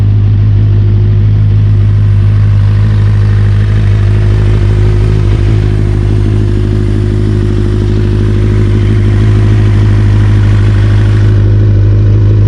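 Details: 1992 Kawasaki ZXR400 L2 four-cylinder, sat for years, after new carb mixture screws and O-rings: smooth even hum with clean rises on throttle, no misfire or stumble; runs perfectly.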